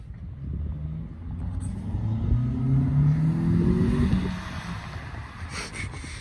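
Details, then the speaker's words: 2006-2007 Honda Accord 2.4L inline-4 with newly installed eBay short ram intake, warmed up, free revving: loud airy intake roar rising with revs, then settling back; normal intake induction noise. "but instantly starting off the car you can hear the intake sucking in air that's so cool oh my god"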